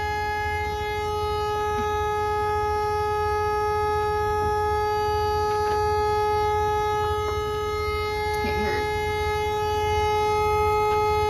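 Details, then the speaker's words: Dump truck drop axle lift air bag blown out on top, no air pressure so the axle sits down; loud steady hiss with fixed tones over low engine rumble as air escapes the blown lift bag. "right here where my finger is is where the lift bag is blown out it's right here on top"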